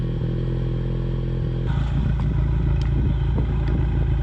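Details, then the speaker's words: Ford Mustang EcoBoost with a misfire at low rpm and idle that began in cold weather, now with factory spark plugs swapped back in for Accel plugs. Idle is mostly steady with occasional stumbles; the misfire is milder, with cylinder 1 counts lower. "Yeah, I mean, you can still hear the misfire, but it's not nearly as pronounced now."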